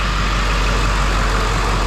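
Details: 2007 Ford F450 with swapped-in 7.3 Powerstroke diesel at idle after the fix: deep, smooth, even clatter with no stumble or shake, firing cleanly on all cylinders. The cylinder five misfire was traced to and cured by replacing the under valve cover harness.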